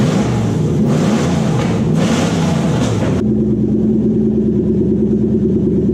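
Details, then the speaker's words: 2003 Toyota Hilux pickup with swapped-in 3UZ-FE Lexus V8 on a Link Thunder ECU, first start after power steering bleeding: a few revs, then a loud but steady, even low idle with a smooth rumble, no knocks or misses; normal idle. "Power steering's been bleeding up. Let's hear it run now. It's a little bit loud."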